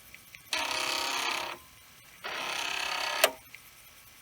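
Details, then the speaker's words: Commodore 1541 disk drive running a modified test program that moves the heads from track 1 to 35 endlessly; rapid buzzy stepping bursts with sharp clacks as the heads bang the stop; errors and a test failure, drive may need adjustment. "well it's still banging it's still something it but it's not telling me that it's not passing"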